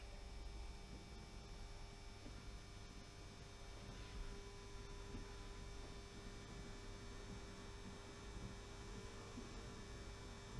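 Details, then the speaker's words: Model funicular railway running: constant low electrical hum with faint buzz from the old makeshift controller, which is to be replaced. "that's the funicular railway and the humming noise you can hear is this old controller which I've lashed up which is really annoying I have to say"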